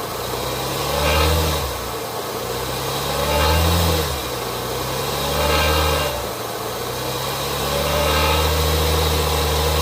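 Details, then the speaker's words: 2019 Cadillac XT5 blipped every 2.5 s: tinny buzzing rattle at each rev peak, occurring at 1,500 rpm and worse with load, from the catalyst heat shield behind the engine; fixed by bending the shield. "It happens at 1500 RPM. Uh the higher the load, the the more pronounced the rattle noise is. But it is quite loud, quite annoying."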